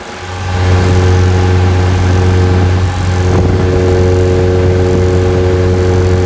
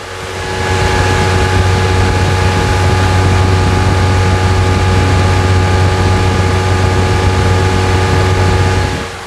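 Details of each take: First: Chevrolet S10 with MWM diesel engine before turbo replacement: diesel revs up with a steady high whistle rising with revs and a vibration; worn turbo hissing and singing, later replaced. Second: Chevrolet S10 MWM Pitbull diesel after turbo replacement and full service: steady, even diesel drone with smooth low rumble and no knocks, ticks or whine; earlier vibration noise fixed, engine sounds healthy.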